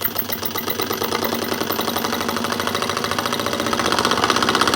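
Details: Brand-new scroll saw whose extraction plate is not yet cut, so it may make extra noises, with speed raised to just over half. A rapid, even chatter of about four strokes a second that quickens and rises in pitch: running normally.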